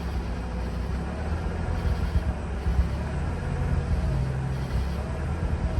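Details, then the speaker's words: Mazda RX-8 after a de-flood procedure for crank-no-start: a low, uneven idle rumble sagging and surging around 1,000 rpm, slightly below 2,000 before. The engine can't hold idle on its own; the temperature needle is returning to normal. "i really want to get this thing dropped so it takes over an idol on its own at one it does not like that"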